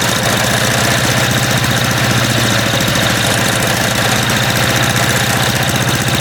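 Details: MTD walk-behind lawn vacuum blower, unused about three years, dislikes throttling with choke off: loud, hammering small engine at a fast uneven beat, harsh and ragged; rough running after long storage.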